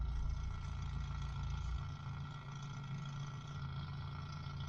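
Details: Mk3 Ford Cortina 2000 GXL, BW35 automatic, at idle with brake operated, heard from under the accelerator pedal: deep steady idle with a loose, uneven rattle from the brake servo's one-way non-return valve; valve to be replaced.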